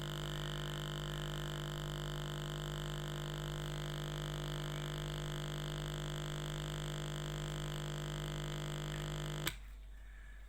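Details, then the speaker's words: Pure sine wave inverter test on 230 V house supply feeding a bare speaker through a 22 microfarad capacitor: steady 50 Hz mains hum with slight rattle from the exposed speaker, stopping abruptly; normal. "that's the 50 cycle hum with a little bit of rattling because the speakers a bit she's a bit naked"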